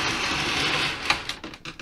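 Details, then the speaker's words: Mitsubishi TC2098 CRT TV with line filtering removed from the power supply (capacitor taken out): high hiss and thin whistle at switch-on, then rapid chattering pulses; the supply is oscillating. "Bom, tá oscilando. Não sei se dá pra ouvir o barulho no vídeo. Tá oscilando."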